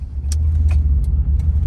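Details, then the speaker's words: 2008 Toyota Tundra SR5 with clicking when four-wheel drive is engaged: with 4WD disengaged, driving in a parking lot gives a low steady rumble with no clicking; no codes set, so a mechanical fault is suspected. "so now let me disengage the front wheel drive or maybe an all-wheel drive now let me drive it in the parking lot you see no noise here no noise I mean"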